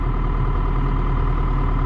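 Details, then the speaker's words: Diesel 160: steady even rumble with a faint constant tone, pumps whining less than before; sight glass stable, passing more oil, owner hopes clogged filters were the cause, sounds healthy. "i might have to look at it on the video to see if it sounds quiet in the cab i didn't hear the pumps whining as much"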